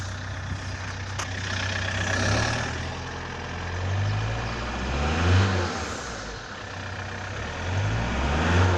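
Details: 1999 Toyota T22 D4D diesel: faint airy hiss from the turbocharger intake hose, almost inaudible at idle, rising strongly over the drone when accelerating hard as when overtaking, fading off-throttle; cause suspected, not confirmed.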